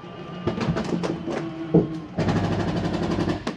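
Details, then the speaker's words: Jayco Eagle 357MDOK RV, last slide-out (campsite slide) retracting: motor hum breaks into a fast rattling grind at the end of travel, normal clutch reset stopping over-travel. "that little grinding noise. I want you to know it's okay to hear that. That's just the unit resetting, or the slide keeping itself from sliding in too far."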